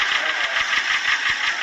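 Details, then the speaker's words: Piston slap from a running engine that also burns oil badly: a sharp, regular knock about seven times a second through a hissy engine note, caused by excessive piston-to-cylinder-bore clearance from worn internal parts. "今天这台车的发动机不单出现了敲缸一响的声音，而且发动机烧机油也是非常的严重。"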